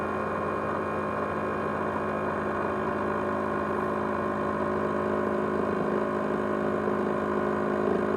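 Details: ASUS X543UA laptop with 500GB USB hard drive: constant high whirring hum with steady tones, jet-engine-like; loud whirring noise, cause unknown.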